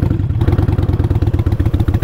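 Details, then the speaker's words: Motorcycle kept in fifth gear at very low speed after a stop: slow, heavy thumping about nine beats a second with a labouring, strained note; engine lugging in too high a gear. "you hear that yeah that's lugging the hell out of it"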